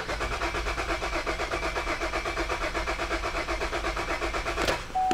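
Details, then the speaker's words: 2009 Buick Enclave, towed in with rodent damage and lost module communication: starter cranks steadily about 160 beats a minute for five seconds, never fires, then a chime; no start, with a fuel pump relay control circuit open fault and no fuel delivery. "got nothing complete no start"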